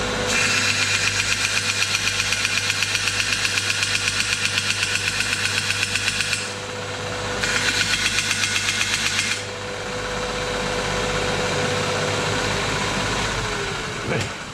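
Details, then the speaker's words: Homemade belt sander cutting material: a steady knock about four times a second rides over the sanding hiss. The owner blames the belts and will replace them. "But as you can just see, that noise drives me nuts. So I can't handle that noise much at all. So it's going to get new belts."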